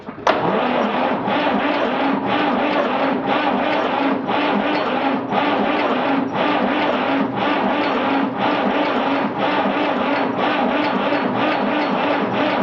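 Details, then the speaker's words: 1959 Fordson Dexta with a 3-cylinder Perkins diesel, sat about six months, cold, on a small battery, started with ether after a very hard start: it catches and settles into a steady, even chug about once a second. "got it we got it how about that I was starting to think we went get it"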